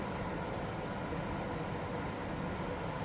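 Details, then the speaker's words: Blower fan in a home AC air handler (Lennox system) runs and circulates air normally with everything powered on; smooth even whoosh with low hum, no rattles. Breaker trips only once AC/cool mode is switched on; later traced to a bad condenser relay. "I can have everything powered on, and the fan will run and circulate. So you hear the blower fan running."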